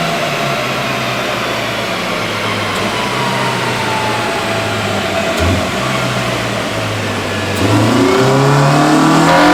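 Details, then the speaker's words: Honda EM1 all-motor build during tuning, currently stuck at 158 on unknown fuel: steady climb at full throttle, turning harder and sharper near the top as VTEC engages. Strong, clean pull; normal VTEC. "but let's do a couple poles and let you hear this vtec because it is sounding so good let's do it"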